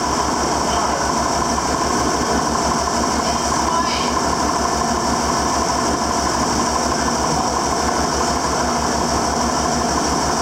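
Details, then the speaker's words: 7410 diesel after an in-frame rebuild, oil primed by cranking and injector pump bled, on its first start: an even, steady idle with a regular low chug and no knocks or misses; it sounds good. "So she's running. Get that far. We'll just go like so. She sounds good. She sounds good."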